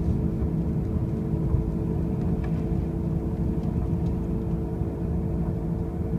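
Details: 2005 Pontiac Grand Prix with brand-new wheel bearings and new tires gives a loud, steady rumbling drone with a faint mid-pitched hum while cruising; the source of the noise is unclear.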